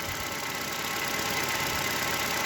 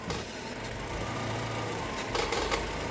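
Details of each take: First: Chevrolet Cobalt 1.5 B15D2 engine, just started cold after replacing the failed tensioner and idler rollers and belts that caused loud knocking and rattling; steady even idle, no knocking, rattling or belt squeal: normal idle. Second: Chevrolet Cobalt 1.5 B15D2 idling: loose irregular metallic crackle and rattle from a failed, dirt-clogged belt tensioner pulley assembly after oil leaked onto it; fixed by replacing belts and two pulleys.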